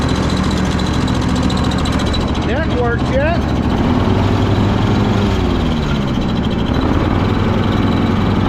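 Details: Craftsman DYS4500 riding mower, 26 hp Craftsman Courage engine, about 800 hours, after sitting over a year; steady idle then a brief high squeaky chirp about a second; source unknown, owner suspects valves need adjusting.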